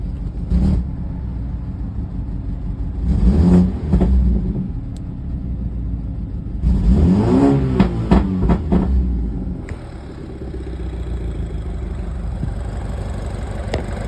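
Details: BMW N26 engine at idle: uneven stumbling lumpy idle with ragged revs, one cylinder missing; low compression suspected, generic misfire code P0303.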